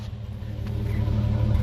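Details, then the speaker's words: 1985 Toyota FJ60 Land Cruiser, air injection removed, running well after mechanical work: smooth, even low rumble with a steady beat and no misses or knocks; normal idle. "you hear that just purring along this thing's been through a lot mechanically wise but it's still kicking after all these years"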